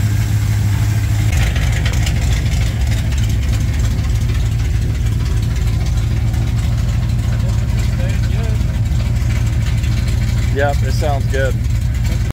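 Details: 1987 Chevrolet K10 squarebody 4x4, V8 at warm-up idle on first start after head gasket replacement; deep, steady burble, even pulses, no ticking or misfire. Normal idle.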